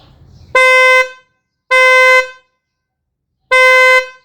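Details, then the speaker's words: Kia Sportage 4th generation dual-tone horn, bumper removed: three short honks giving only a sharp, thin high-pitch tone lacking the deeper note; the low-pitch horn is disconnected or faulty, high-pitch horn alone working. "This sound is much sharper and thinner, but it lacks the deeper tone that makes the horn sound fuller."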